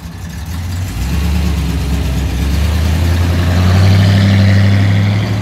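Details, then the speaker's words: 1964 Studebaker Avanti R2, after Carter AFB carb work and leaning the mixture, idling 750 rpm in gear: picks up cleanly to a strong even roar and settles smoothly; lots of ignition timing. Normal revving. "Woo! Happy Avanti. Got a lot of timing in her."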